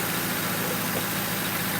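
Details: 2005 Crown Victoria police car V8 idling on a hot day after replacing the grounded No. 4 ignition coil and plug that kept blowing fuse 9; smooth constant idle over background hiss, no stumble, miss or surge; normal idle.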